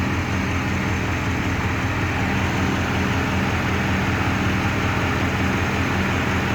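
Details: Rover 3.5 V8 with a wobbling pulley, idling with a heavy, uneven lumpy beat of two to three stumbles a second; misfire at idle.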